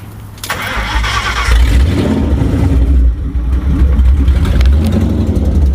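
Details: Ford Crown Victoria 4.6 DOHC V8 with low compression, after new injectors, plugs, coil packs: fires up into an uneven, lumpy idle with irregular stumble; misfire.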